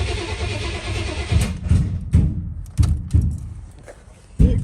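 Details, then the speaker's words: 1989 Chevy Suburban bought from a junkyard: the starter cranks in uneven bursts with no catch and no fuel pump whir. No fuel is getting to the engine; the missing horn fuse is suspected, since the fuses are sequential. "but I do not hear the fuel pump kicking on yep no fuel getting to it"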